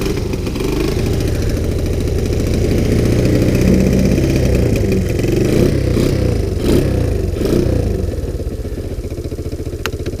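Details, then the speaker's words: Sunl 110cc ATV, revived after being abandoned and seized, cold start with choke on after sitting out overnight at about 40 degrees; small single fires up and settles into a steady, even putter around four beats a second, some wind noise; normal cold start and idle. "this is a cold start sat out overnight it's about 40 degrees"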